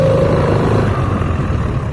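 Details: Piaggio Beverly 500 scooter variator: low booming drone when pulling away at low speed, easing as speed rises; caused by glazed, hardened clutch shoes together with an out-of-round clutch bell; fix is sanding the shoes and having the bell machined true.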